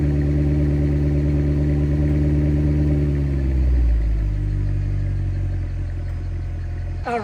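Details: 2007 Mercedes-Benz CLS63 AMG (W219) cold start after battery replacement, first start in about 6 months: strong, even drone dropping smoothly to a lower steady idle, no misses or knocks; healthy.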